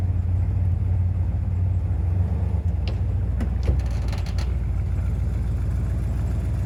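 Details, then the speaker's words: A 1995 Impala SS with a Blueprint LT1 355 crate engine and LT4 Hot Cam idles with a deep, steady, lopey V8 rumble. It is back from the exhaust shop with most exhaust leaks fixed, with no ticking or puffing. "Okay, back from the exhaust shop. It sounds so much better."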